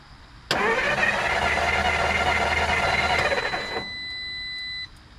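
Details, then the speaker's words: 1954 Dodge Coronet Poly V8, after 42 years garaged, dies after running with no lifter noise; starter cranks steadily about three seconds with no firing; cranks, no start, owner suspects lost spark at the points. "I think we lost spark, folks. [Applause] Yep. We lost spark points."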